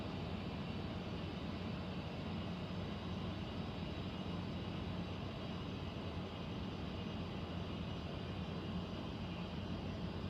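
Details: Central air conditioner air handler, apparently above the bedroom closet, making a constant heavy airflow roar with low hum underneath, abnormally loud; owner questions a possible leak; cause unknown.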